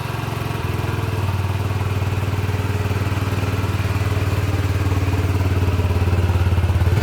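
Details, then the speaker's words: Masai Furious 125 roadster, small single about one year old with nearly 3000 km, run-in complete: even, low, steady thump at idle that firms up slightly near the end, no knocks or rattles; normal healthy idle. "On va terminer cette vidéo sur le bruit moteur."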